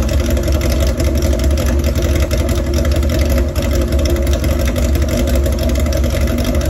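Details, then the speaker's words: Old chopper motorcycle at idle: loud, lumpy, loping rough idle; propane around the intake rubbers where the carburetors meet the cylinders gave no change in sound, so the vacuum leak others suspected is not confirmed; propane at the filter did change revs. "there you go so you saw I put the gas around the uh the rubbers on the intake where the carburetors hook onto the cylinders and uh absolutely no change in sound of the bike"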